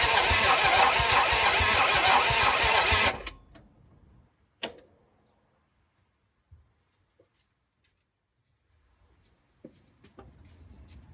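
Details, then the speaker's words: 1974 Dodge Challenger 318 with new mini starter, battery cable and ignition relay; starter churns about three turns a second for three seconds without firing, no oil pressure, burning smell: weak cranking, no start; owner plans to charge battery and check compression. "sounds awfully weak but it is cranking"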